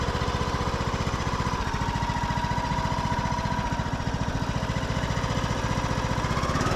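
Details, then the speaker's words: Craftsman YS4500 tractor, 21 hp single-cylinder: a thin, steady groan rides above the chug when the clutch/brake is released and the hydrostatic drive belt tightens. An idler pulley underneath is groaning. "uh you can hear one of those pulleys underneath groaning I think we did husk of Arna a while back that had basically the same issue"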